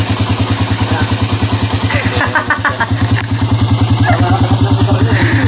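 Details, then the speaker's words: Suzuki Raider R150 single-cylinder after repair of engine rattle (earlier loud like a helicopter), fixed cheaply with a small fix; even steady idle thump about three beats a second, no rattle. Normal idle, problem solved. "dito Tahimik ang makina mga Bossing oh Kanina parang helicopter yan"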